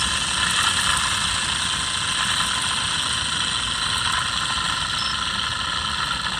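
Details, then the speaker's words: Mercedes S600 V12 alternator spun by hand off the car: dry, gritty marble-like rumbling whirr from bad bearings in the original unit, unlike the silent new replacement. "so original one has clear bearing issue obviously the new one is quiet this one it's totally silent pretty much so that was my concern with alternator makes the noise"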